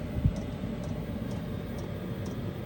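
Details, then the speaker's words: Diesel forced-air parking heater in a 30-foot RV running on low speed, giving a low steady hum with light ticking about twice a second from its fuel pump; normal operation, still starting up. "Here's what it sounds running at low speed. It's putting off a decent amount of heat."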